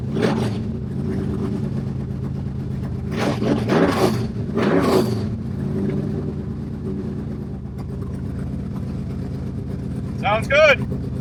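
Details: Stroked 400 big-block Mopar V8, first run, temperature 180 to 200 with the fan cycling and no visible leaks: a loud, lumpy rumble with sharp throttle blips that rise and fall cleanly, no knocks or misfires. It runs healthy.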